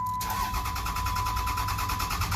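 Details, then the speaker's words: 2006 Dodge Ram 3500 5.9L diesel that died after new batteries and security light issues, no communication with the ECM: even starter cranking about nine beats a second that never catches; crank no start traced to a PCM connector fault. "just cranks, no start. And we have no comm."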